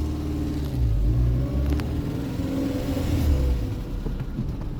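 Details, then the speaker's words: 1994 Renault Twingo 1 Phase 1 while driving: low droning rumble under road noise, no clear rhythm, rising with wheel speed and stopping when stationary; worn left wheel bearing to be replaced. "Et là, on entend, on a un petit roulement qui va être à faire côté gauche."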